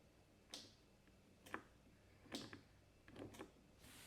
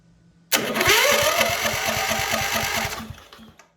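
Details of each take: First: MTD White riding tractor with 13.5 HP Briggs & Stratton industrial engine, sat for years: only faint, uneven clicks about once a second with no cranking; starter not turning the engine. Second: MTD White yard tractor, 13.5 HP Briggs & Stratton industrial engine, sitting for years: starter whines up then cranks the engine with an even chug about three times a second for three seconds; starter engaging normally.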